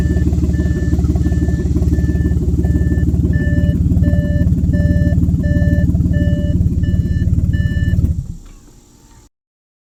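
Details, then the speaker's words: Audi 3.0 TFSI V6 with codes P0133 and P0136 and a bad smell: very loud, deep rumble with fast chuffing from an exhaust leak on the passenger side (bank 1); owner suspected a failed catalytic converter. "then you can hear the noise that you hear in this video and it was primarily coming from the passenger side so it was telling me something's broken on the passenger side you know an exhaust leak"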